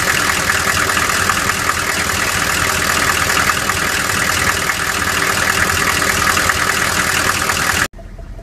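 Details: 1994 Chevy Silverado C1500 6.5 turbo-diesel at idle, mic where knock is loudest: rough clattering idle with hard steady knock; cause not yet found.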